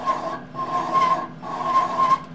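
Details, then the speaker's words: MIG welder with a Binzel torch liner: the motor whirs in short trigger bursts and the drive roll spins with a scraping sound while the wire stays still. The wire is kinked and jammed in the liner. "the liner here is jammed up it's got the wire in it and the wire must have a kink or something in it and it's jammed in the liner and i'll show you see that that's spinning that's not moving and you can actually hear it you listen to it you can hear it scraping"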